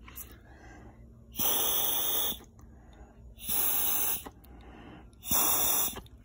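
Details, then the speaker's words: 2002 BMW 330Ci E46 secondary air injection (SAP) check valve, replacement unit bench-tested by blowing air through it on the third try: three hissing bursts pass freely as the diaphragm opens, so the check valve opens normally. "can actually hear it try you can actually hear it open by the diaphragm open"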